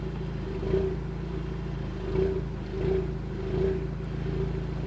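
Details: 2020 Ford Mustang EcoBoost (HPP, A10) with forged MAPerformance Stage 1 short block, Ford Performance camshafts, 12 psi wastegate actuator: idle rumble with lumpy surges every second or so, then smoothing. Ghost cam tune swings timing about ±15° around 600–800 rpm.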